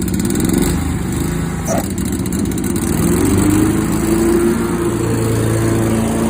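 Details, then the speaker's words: Skag mower running with the blades engaged, for comparison with a Lesco mower that has an odd blade noise: engine pulls steadily with an even whir under load and no knocks or grinding; sounds normal. "you hear it sounds normal like a mower would right here's the Lesco"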